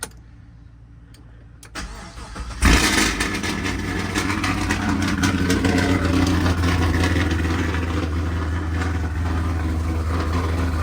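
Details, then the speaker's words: Pontiac G8 GT LS V8 after trunnion kit install, first start with coil packs on and one broken injector wire's prongs zip-tied apart temporarily: cranks briefly, catches with a rev, settles into smooth even idle, no ticking or knocking; a little oil burning off; normal start. "everything sound good got a little bit of oil get the oil burning off just a little bit of"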